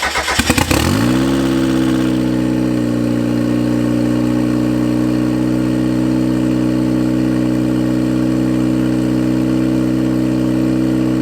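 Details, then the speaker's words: 1991 Mazda Miata NA turbo build first start on an untuned base map: brief crank, then a steady fast idle around 2,200 rpm with no dip; idle set too high. "That's too high of an idle. That was like 2,200. Yeah. Gotta obviously adjust Tone that down just a bit."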